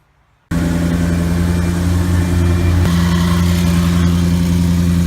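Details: 2014 Maserati GranTurismo after sitting overnight, engine completely cold: quiet start into a steady, even low idle with no odd noise. The warm-engine noise near the transmission is absent when cold.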